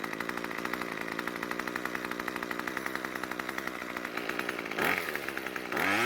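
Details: Craftsman string trimmer after richening idle fuel (L screw a quarter turn counterclockwise) to stop stalling at idle: steady fast even idle, then two clean blips that return smoothly. Normal idle and revving now.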